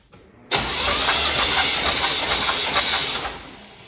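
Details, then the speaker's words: 1989 GMT400 small-block Chevy cranked for a compression test on cylinder 1, coil disconnected, throttle open: steady starter whir with even pulses about four a second, turning over freely without firing; cylinder 1 read about 150. "The coil has been disconnected, and I'm gonna get in and crank it over with the throttle open. And I cranked it over a second ago just to make sure there wasn't any spark."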